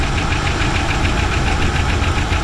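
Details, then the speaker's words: 1960 Buick LeSabre running after long storage and a fuel pump replacement, warming up until the thermostat opens: fast regular light ticking about ten a second over a rough, lumpy idle; they are trying to run the tick out. "There you go. Trying to get that tick out of there."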